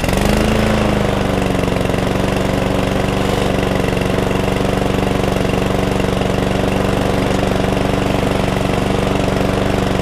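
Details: Cheap lawnmower that wouldn't stay running, after tank flush, carb clean and removing overfilled oil: small single-cylinder engine settles into a steady, even putter with no stumbling or surging; runs cleanly.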